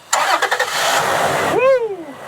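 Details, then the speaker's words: Toyota FJ just fitted with an iTechWorld 1420CA PRO lithium starter battery: brisk, short crank, engine catches at once and settles into a steady idle; clean normal start. "look at that it's running it's running well that was easy"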